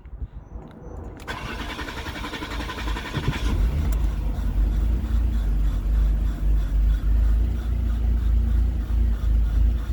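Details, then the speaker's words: Car with a cranks-but-won't-start problem, throttle body motor connection checked: it cranks, catches and runs roughly for a few seconds with the gas pedal held to the floor, an uneven low rumble, then dies. Starts then stalls. "but now it still shuts off. I stop, this thing stops. So that's basically what's happening."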